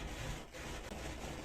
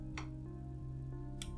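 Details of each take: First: 1970s Nikko TRM-650 amplifier, DC offset set to about 2 mV before connecting speakers; steady crackling and hiss from the speakers with no signal, from dirty potentiometers needing cleaning. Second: 1978 Nikko TRM-650 amplifier, 50 W per channel, first power-up through a series bulb: low steady mains hum, then a single crisp click as the speaker protection relay pulls in, showing no DC offset on the outputs; normal.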